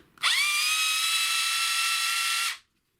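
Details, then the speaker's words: Black & Decker BD405R cordless drill from about 1985, unused 20 to 30 years, before repair: strained, high motor whine that droops as it spins up, harsh and effortful. Suspected gearbox grease gone solid over the decades; unconfirmed. "it might be that the there might be some grease in the gearbox in here that might have gone a bit solid over the decades"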